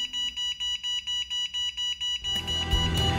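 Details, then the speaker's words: MJX Bugs 6 (B6) racing drone: about eight sharp high beeps, roughly four per second, then handling noise; the built-in beeper, added out of the box, works normally. "are plenty of people that added a beeper as a modification for the b3 and is here out of the box"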